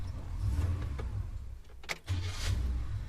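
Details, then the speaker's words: Holden HK Premier wagon V8 after fitting an original V8 starter motor: short, smooth crank with no grinding, whir or the earlier high-torque squeal, then the engine catches and settles into a low rumble; normal starter cranking and start. "Oh, that is so much better. None of that high torque, stark squealing noise."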